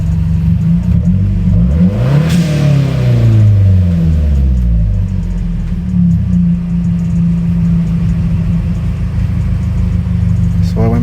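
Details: Full-VTA turbo car with newly installed generic dual-port blow-off valve and Accessport, during BOV adjustment: revs up, drops as throttle shuts, settles to steady, even idle without hunting; AFR about 14.5–14.85, normal BOV operation.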